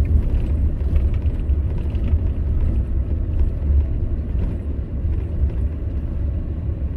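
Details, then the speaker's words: Used car road test over bumpy road during pre-purchase inspection: steady low road rumble, no clunks, knocks or rattles; suspension sounds tight and healthy. "sounds good. Yeah, bumps, it sounds good."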